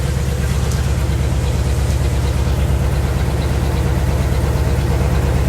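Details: 1964 Chevy Impala V8 idling after repair of a crank-no-start fault: deep, even idle with steady firing pulses, no knock or stumble; running normally.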